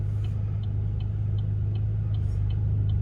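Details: Chevy Cruze at idle, parked with brake on: crisp, evenly spaced turn-signal clicks, two to three a second, over a steady idle hum; earlier clicks were uneven and out of sync with the lights, owner suspects a weak battery. Now normal.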